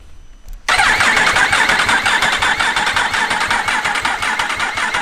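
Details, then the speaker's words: Freshly rebuilt Yamaha R1 race bike, engine just refitted, in neutral: sudden steady even starter whirring without firing, normal cranking to fill oil filter and front oil cooler and build oil pressure. "Make sure start motor's not getting too hot. So it's got to fill the oil cooler first."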